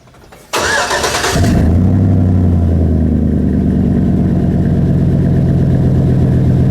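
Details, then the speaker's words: 2005 Chevy Silverado 1500 with a 5.3 pushrod V8 and a Flowmaster 50 muffler, recorded at the tailpipe during a cold start. After a short crank it settles into a deep, even, loud fast high idle with no misses. Normal cold start. "The 50 doesn't really have too much drone. So, but it is loud on cold start."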